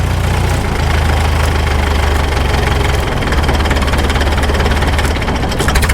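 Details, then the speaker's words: 1951 Caterpillar D2 diesel at low idle: deep slow idle sags and labours, shutting off before the governor hits the detent; low idle set too low, low idle screw to be turned up. "Okay, we're shutting off before we hit that detent. I know just how to fix it."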